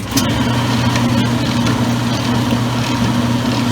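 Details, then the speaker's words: Circa-2003 Maytag Oversized Capacity Plus top-load washer, lid switch held: steady low motor hum with smooth even churning swish, no knocks or grinding; agitator working normally. "here's the agitator moving this is how the agitator works during the wash in a rinse cycle"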